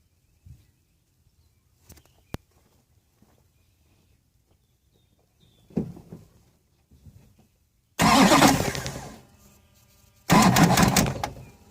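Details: 2006 Duramax LBZ with Allison 6-speed, 260K miles, new fuel filter head, clean fuel, no codes: with the key held, the starter gives two short one-second crank bursts separated by a pause and it never fires. Intermittent slow crank, no start.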